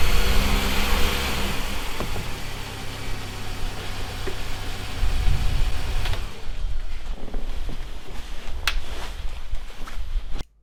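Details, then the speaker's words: MINI R50 One at idle: loose, uneven rattle from the transmission/bellhousing area with the clutch pedal up, stopping when the pedal is pressed; gearbox or clutch suspected, unconfirmed. "so this is the rattle that can be heard from the transmission area with the clutch pedal up with the clutch pedal to press the rattling stops"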